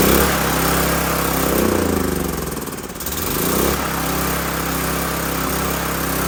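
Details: Old 5500-watt gas generator after carburetor replacement, fuel still contaminated with a little diesel added to the petrol and tank nearly empty; drone surges and dips unevenly, briefly dropping then recovering; choppy running from diesel-contaminated fuel.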